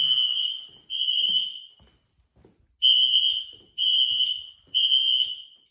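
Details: Apartment building fire alarm: shrill high-pitched horn blasts, roughly one a second in groups with gaps, sounding for about 5 minutes; caused by an issue with a pull station on the first floor.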